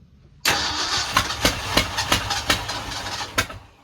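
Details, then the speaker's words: 1965 Ford F350 FE engine after intake manifold reinstall, cleaning and replacement distributor, with a spark plug wire leaking sparks: long crank with a few sharp catches and pops but it never keeps running; mixture screws possibly worth checking, unconfirmed. "As you can hear, we're getting it pretty close. I don't think we messed with the air fuel mixture screws when we messed with the carb, but we could always make sure"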